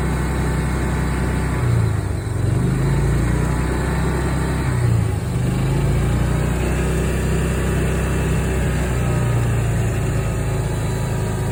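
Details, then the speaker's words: Club Car golf cart single-cylinder engine after its first oil change in years: runs steady and even with a low thumping note, no stumble or bogging, better than before. Normal running. "It feels and runs even better now. Doesn't even bog down."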